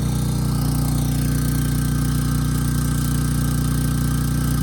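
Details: Briggs and Stratton Storm Responder generator, bought as a parts machine, under a 3,000 W load targeting about 60 Hz. Steady, even drone with no hunting or misfire, maintaining speed well; it ran slightly fast, so the governor spring tab was bent afterward.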